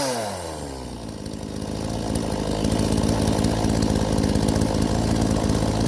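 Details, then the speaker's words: Chainsaw, possibly a Homelite around 46cc, after repair: gunked carburetor cleaned ultrasonically, screen replaced and carb tuned; it starts, revs up and settles to a steady, even high-pitched run with no stumbling, running normally. "I think we got this straightened out though. I'm gonna turn it on here. Tuned up the carburetor a little bit."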